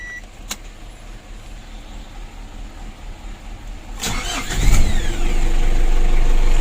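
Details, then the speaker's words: Ford Ranger 2.5 diesel that had long cranking and hard starting in the morning, after cleaning and servicing the starter motor and checking glow plugs, new battery; short crank, catches at once into an even idle: normal quick start. "Kalau ini sekali starter ya, langsung hidup teman-teman."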